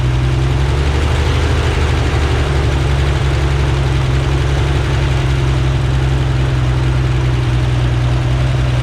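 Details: Rebuilt Corvair air-cooled flat-six on a test stand, checking oil pressure and carburetor synchronization: steady, even low rumble with no knocks or misses; smooth healthy idle.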